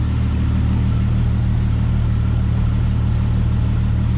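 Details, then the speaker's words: 1998 Jeep Cherokee XJ idling after a new exhaust header replaced a cheap one that had cracked and blown its gasket: a steady, even low rumble with no ticking or puffing under the hood. The exhaust leak is gone. "Don't hear an exhaust leak anymore, and all of our exhaust seems to be coming out back here where it should be."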